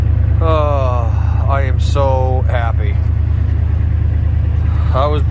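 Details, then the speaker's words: Old Ford F150 plow truck started after jump-charging its battery from a Jeep for about 15 minutes; steady even low rumble without stumbling or misfire; normal running. "oh god thank god she's running"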